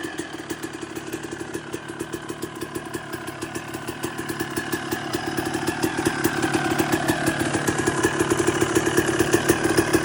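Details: 2002 Suzuki RM250 two-stroke after full motor swap and rebuild, warming up on its last heat cycle with choke on; crisp even idle with steady popping, rising slightly as it warms; runs clean and healthy, normal idle.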